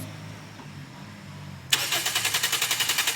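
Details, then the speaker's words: 2016 Toyota Altis Grande no-start: the starter cranks in steady pulses of about four a second but the engine never catches; the fault is a bad relay, later fixed by replacing it. "गाड़ी start नहीं हो रही। बस switch बंद कर दें। ये जिसका ये फेकर रिले है, ये वाला ये चेंज करेंगे, इंशाल्लाह मसला हल हो जाएगा।"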